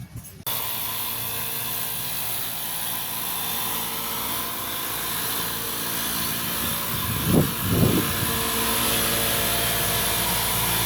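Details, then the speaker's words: Suzuki DF51V turbo kei minivan compression test before valve adjustment: cylinder 1 reached 75 psi but leaked down, cylinder 2 25, cylinder 3 50 versus about 120 expected; starter spins fast and evenly, about two beats a second, little chug; low compression from unsealed valves. "To clarify, that went up to 75, but it's leaking down. It doesn't hold its compression."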